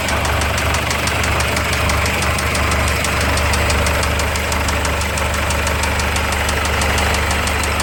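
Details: PJ Ford Ranger at idle with a sharp, even tick about three times a second, persistent; engine recently developed a knock, cause unknown.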